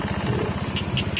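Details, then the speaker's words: Honda Beat FI scooter, about 5 years old, after a major service with valve adjustment, new piston and cleaned throttle body: steady, even low putter with regular firing pulses, no knock or rattle; idle smooth again versus rough before. "nah Ini suaranya Udah halus lagi kemarin agak kasar karena emang klepnya udah lama enggak disetel"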